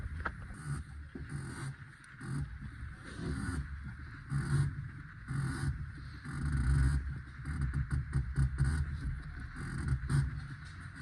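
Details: Renault Kwid clutch pedal pumped. A rubbing squeak repeats from the worn lubricating sleeve inside the clutch cable. Replacing the cable removed the noise and freed up the clutch.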